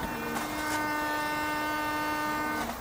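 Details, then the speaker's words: Audi S3 rear washer: a steady electric hum runs about two seconds, then stops, but no water comes out of the two rear jets. Pump runs without spraying; owner suspects a blockage further along the line. "the boat was working if you can do it again we have no water coming out so the problem i suspect way way on stop that's it what i suspect is it's all blocked up in there"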